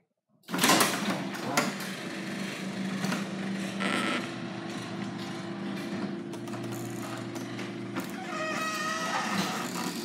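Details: Garage door before lubrication: opener motor drones steadily while the moving door adds intermittent high squeaks and rattles, typical of dry rollers or hinges; cause suspected, not confirmed.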